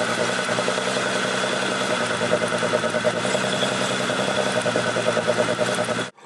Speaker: we only have our misfire under load so we're going to break torque it now you can hear our misfire